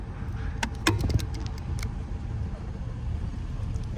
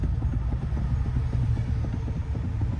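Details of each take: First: 2011 Toyota Corolla driving after a 12 mm bolt under the steering column was tightened: steady low road rumble, and the faint rattle over speed bumps is gone. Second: 2011 Toyota Corolla rattling under the steering over speed bumps: quick, light metallic clicks over a low engine rumble from a loose steering shaft U-joint. Its 12 mm bolt is then tightened.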